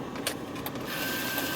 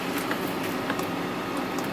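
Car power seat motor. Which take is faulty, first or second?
second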